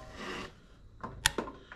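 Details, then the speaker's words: John Deere 100 Series mower (likely LA135) that started then died after a few seconds: engine off, crisp single click each time the key is switched; fuel solenoid now pulling in normally, inaudible before the fix. "yeah so we're turning the key on and off and you can you can hear it and we could not hear that before so it all makes sense"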